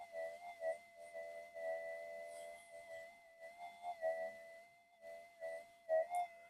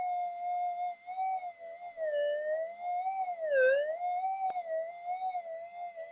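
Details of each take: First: Minelab GPX-4500 metal detector, reported to go crazy when warm, on antiphase coils in mono mode, parts heat-tested one by one (damping MOSFET just heated): clean steady mid-pitched threshold hum, soft pulses, pitch held; normal, fault not here. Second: Minelab GPX-4500 metal detector with ghosting, input stage of the board heated with a hot air gun at about 110 °C: steady mid-pitched threshold hum drifting and dipping in pitch with brief sharper swoops, an unstable threshold.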